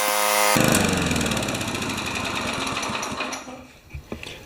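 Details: 1970 Craftsman Eager mower with a Tecumseh engine, 51 years old, restarted after a temporary wire fix: the single-cylinder engine holds a steady, even rapid putter that winds down near the end. Normal running.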